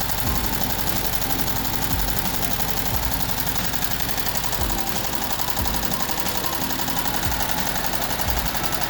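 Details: VW Type 1 air-cooled 36hp at idle, reassembled after suspected bad bearing or rod knock turned out to be worn pushrod guides: busy putter with light uneven tapping, no heavy deep knock; running properly.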